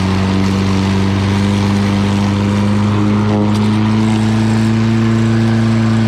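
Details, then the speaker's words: Lawn Boy all-wheel-drive mower with Kohler engine, after cleaning grime from the carburetor, cutting and bagging grass: steady, even drone holding pitch with no misses or knocks; healthy engine under load. "Okay, this thing runs great. So I was only doing it with one hand, as you can tell. That all-wheel drive system works really well."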